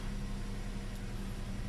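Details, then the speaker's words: Hyundai Eon idling just after timing belt and tensioner bearing replacement, warming up: steady even low hum with no squeal or chirp, also none with AC switched on; belt drive sounds healthy. "I don't hear any squeaking noise let's switch on the AC no squeaking noise as well"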